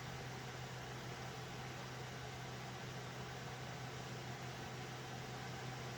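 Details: Loud server cooling fans beside an Alphacool Eisbaer Pro Aurora AIO: steady airy rush over a low constant hum, even and unchanging; fans simply noisy, to be swapped out.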